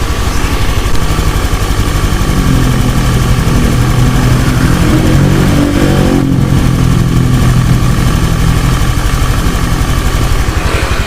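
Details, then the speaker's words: Honda Beat injection scooter that misfired, lacked power and stalled, after replacing a worn piston: even, steady putter with a mild rev rise and no stumbles or rattles. Normal idle. "Eh untuk suara mesinnya seperti ini teman-teman ya awalnya memang dia datang halus Harusnya kalau sudah digunai tambah halus"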